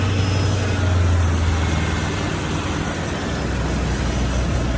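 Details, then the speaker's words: 1993 Range Rover Classic 4.2 L petrol V8 started right after an oil change: deep, steady burble with no ticking or lifter noise, idle easing down smoothly; normal idle. "on sounds good I don't hear any ticking I don't hear any lifter"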